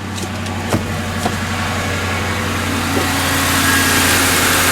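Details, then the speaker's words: Auction-bought Ford Crown Victoria Police Interceptor on its first start, with a possible oil cooler leak spotted: steady, even low idle rumble with no knocks or misses, only a faint belt hiss. A smooth, good-running engine. "sounds good yeah just a bit of belt noise yeah no no real planking no real flicking no sunking this is a good look how smooth that is that's a good running motor I can tell you that right away"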